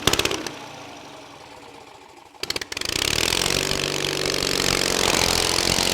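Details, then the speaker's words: Kohler 23 HP big block engine starting with plugs in, filled fuel bowl, a shot down the carburetor, throttle and choke: a few cranking pulses, then catches and settles into a steady, even run with busy top end; runs well. "But boy, that thing runs good for, you know, not having to do a whole lot to her."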